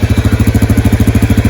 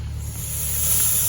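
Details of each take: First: Yamaha Grizzly 550 ATV, warmed up: even, steady single-cylinder idle thump with no misses and no smoke, after an oil-soaked filter was suspected of causing the earlier smoke. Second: Yamaha Grizzly 550 leak-down test at 90 PSI in, holding only about 37 PSI; steady airy hiss from the exhaust suggests leaky valves, some air also via intake, none via crankcase or radiator, head gasket and rings believed fine.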